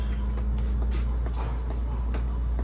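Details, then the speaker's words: Freezer with newly installed Heatcraft Intelligen evaporator, after defrost: compressor comes on with a steady even low hum and no fan whoosh, running without fans during the refreeze fan delay; normal operation. "yeah i can hear the compressor came on so it's going to do the fan delay right now re-freeze that's mean it's gonna run without the fans"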